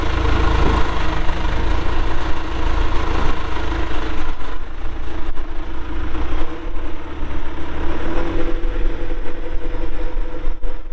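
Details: 1997 John Deere 310E 4WD backhoe, 2,280 hours, diesel, engine cover shut: deep, steady diesel rumble at idle, even firing, no knocks or misses; normal healthy idle.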